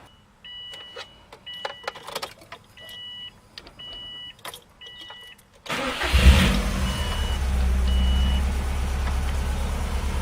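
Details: 2005 Subaru STI just after a Grimmspeed three-port electronic boost control solenoid install, not yet retuned: quiet chirps and clicks, then the engine catches and settles into a steady, even idle with no knocks or misses.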